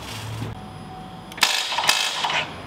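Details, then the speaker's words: 2021 Chevrolet Silverado 2500 Duramax diesel rebuild, first start attempt; a few sharp metallic starter clicks with no cranking, not enough battery power until a second jump box was added; starter click from low battery power. "is that the starter oh no no power yeah need more power"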